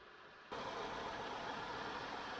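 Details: 2005 Chrysler Town and Country, 3.8 engine, first start after replacing the serpentine accessory belt. The engine catches at once and settles to a steady, even idle with no belt squeal or chirp. Normal start and idle.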